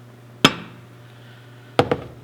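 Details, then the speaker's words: 2010 Kia Forte Koup 2.4 L 6-speed manual with rod knock, engine stopped, struck with rubber mallet: a quick double metal-to-metal clack reveals bearing slop at cylinder three. "if you listen closely you'll hear metal to metal contact see how different that sounded"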